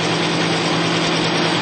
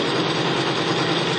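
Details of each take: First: Bearing lubricity test rig, race bearing spinning in diesel with Bi-Tron diesel conditioner added, pressure being applied: steady even hum with faint rhythmic rub, no high squeal, sound changed from plain diesel; bearing running smoothly. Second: Bearing lubricity test rig, electric motor spinning a race bearing against another bearing in plain pump diesel, no additive: harsh steady rasp over motor hum right from start-up, metal grinding on metal from poor fuel lubrication.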